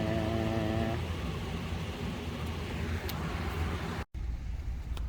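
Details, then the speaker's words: 2004 AWD Chevy Astro van driving after front driveshaft replaced with a rebuilt Cardone unit, plus new rear gears and posi traction: even road rumble and steady engine hum, no clanking or rattling over bumps; drivetrain healthy. "Good news, no more clanking, rattling noises. I gotta get used to the new noises."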